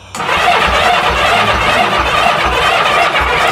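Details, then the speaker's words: 1982 Honda Goldwing GL1100 barn find, sat about 20 years, cranking while blowing into fuel line: steady starter churn with an occasional weak pop, not catching; fuel pump suspected faulty, not confirmed: cranks but fires only occasionally. "it poofs once in a while yeah it is sucking it's definitely sucking but I can blow completely through right now"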